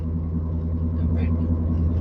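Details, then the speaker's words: 2014 Ford Flex on a test drive, noise from the front passenger side: steady low droning hum under road noise at constant speed. "there's some sort of noise weird noise happen yeah you know what let's take it on test drive see what it sounds like and uh see if we can diagnose this uh just weird issue let [Music] go it's coming from the front passenger"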